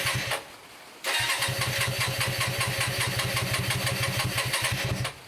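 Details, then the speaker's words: Hyosung 125cc V-twin motorcycle, standing two years, carbs just cleaned, a tiny bit of choke: quick uneven pops for about four seconds, then it dies, a bit fumey. It stumbles with the choke on; the owner suspects a carb overflowing. "no it doesn't like the choke at all um it's a bit fumey"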